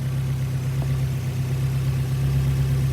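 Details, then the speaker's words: NB Mazda Miata idling after a makeshift repair of the failed crank harmonic balancer pulley, belts refitted: smooth, steady low hum with no knocks, wobble or rattle; engine idles evenly and sounds healthy. "All right. Well, I got the bullet fixed and running. You might hear it."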